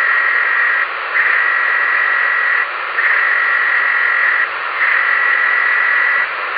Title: Ham radio weird noise on 10 on 06/0810 @ 0914p.m.